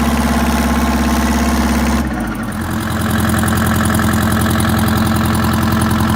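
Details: WMT 4-115 diesel, first start in three months, out of gear, brakes on: cranks, catches cleanly, settles into a steady, even idle with no knocks or misses.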